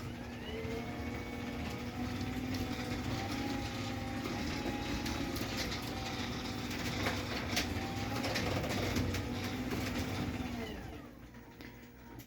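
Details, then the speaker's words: New Craftsman CMXC1220 chain-drive opener (Security+ 3.0) on a garage door: steady motor hum with light chain whir as it runs the door up, then stops; normal, not terribly loud, no quieter than the previous generation. "So this one's not terribly loud, but I don't think it's any quieter than the previous generation was. I think the vacuum cleaner motors are making a comeback."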